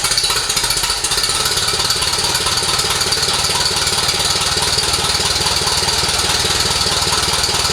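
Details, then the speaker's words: 1948 Silver King tractor engine, first run after restoration reassembly and radiator repairs, possibly running out of fuel: quick even firing beat, no misses or knocks; running normally. "Think We R out of fuel but sounds good all right well there we go guys we got her up and running again tested her out it sounded pretty good"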